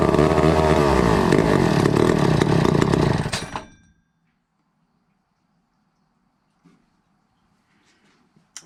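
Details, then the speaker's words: 1962 McCulloch 1-46 chainsaw, missing its original carburetor, fitted with a carb that may not work: roars at a high buzzing rev about three seconds, then sputters out; owner suspects a cracked fuel line sucking air, and notes a part broken off. "it's fired but it just didn't go ha it actually felt like it wanted to grab fuel that view line may have a crack in it maybe sucking air"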